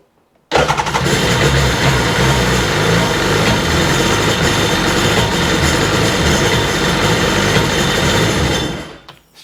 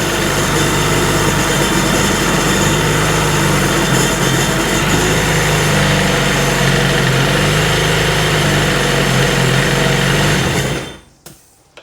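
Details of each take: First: RXDI engine after fitting a new fuel rail, primed several times; the old injector and regulator were packed with rust, suspected as the cause. Running: loud, rough, uneven stumbling beat instead of a clean note. Engine misfire, cause not confirmed. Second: 2003 RXDI after a new starter was fitted and the maintenance-mode code was cleared. Steady, even engine drone with no misses or knocks, sounding better, though the original problem returned later when run on the hose.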